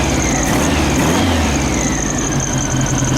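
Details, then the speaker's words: 1972 VW Beetle with reinstalled, rebuilt Weber 34 ICT carburetors, idle screws and vacuum balancing not yet adjusted: steady even beat with no misses or stumbles, running on all four cylinders. "okay though it sounds like it's running on all four cylinders"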